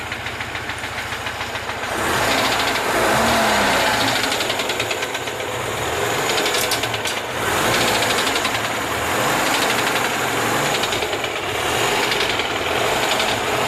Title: Стук двигателя Москвич УЗАМ 412